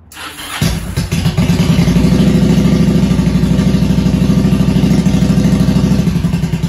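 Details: Motorcycle with a kill-switch problem, jump-started from a Milwaukee impact gun battery; short crank, catches within a second and settles into a steady, even running beat. Normal start and idle.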